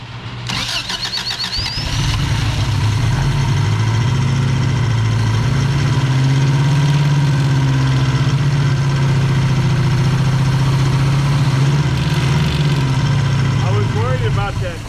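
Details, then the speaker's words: Subaru BRAT after an engine swap with a distributor fitted starts and runs loud and rough with a loose, uneven clatter. Owner attributes it to rubber hitting the frame cross member each time it passes an exploded CV joint. "clatter but it's just that rubber hitting that yeah frame uh cross member every time it goes over that CV joint is exploded"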